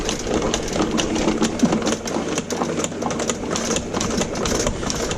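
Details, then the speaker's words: 5/8" auto-feed power rooter snake with saw bit clearing a badly clogged 4" main sewer line, run forward: steady motor whir with light, uneven coil ticking and no binding or strain; cable still running out freely before reaching the clog. "so we'll just let it run out and so far it's running out freely"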